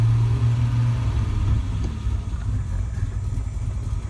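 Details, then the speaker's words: 1987 Alfa Romeo Milano 75 2.5 V6 just after start-up: a low, lumpy, uneven idle. Owner notes a possible exhaust leak and something rattling underneath; cause unconfirmed. "starts up every time you can hear how rough how rough she is"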